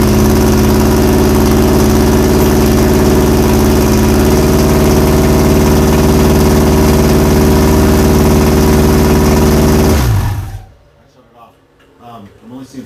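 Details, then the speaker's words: Misfire on a FuelTech-managed Audi big-tire drag race car at first fire-up: rough, lumpy idle with a lopsided pulse, apparently running on three of four cylinders; plugs suspected at first, later traced to two faulty coils. "i don't think we're running on all four cylinders i think we're running on like three so we should pull the plugs and clean them and then start over or put a fresh set in it sounds like three cylinders"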